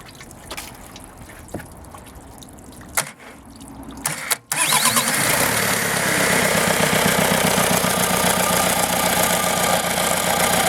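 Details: Used VW 1.9 TDI engine, code 1Z (AHU), 74,300 miles, European, dirty with oxidation, with AC compressor: cranks briefly, catches, settles into a steady, even diesel clatter with no misses or knocks; normal healthy idle.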